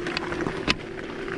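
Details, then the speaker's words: Engwe X26 electric bike riding on gravel off the end of the asphalt: irregular hard knocks following the bumps over gravel crunch and tyre roar; second battery hidden in the frame is loose and unpadded, rattling. "stukanie to jest niewytłumiana bateria ta druga bateria schowana w ramię ma tam pewien luz specjalnie jej nie wytłumiałem do tego filmu żebyście to usłyszeli"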